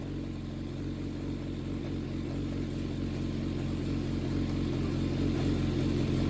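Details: Yamaha XJR400 (4HM, early model) running engine assembly on start-up check, high compression, no abnormal noise or white smoke: smooth, even four-cylinder hum rising gently in pitch, no knocks; healthy.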